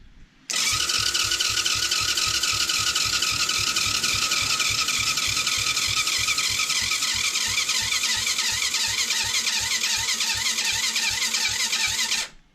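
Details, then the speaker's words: Cheap TaoTao 110cc not run in a long time: even, fast starter whir with rhythmic compression pulses for about twelve seconds, never catching; cranks but won't fire, compression not yet checked. "so hoping that this is working I know it's also been a long time since it started sounds a little funky I'm not gonna give up on it yet"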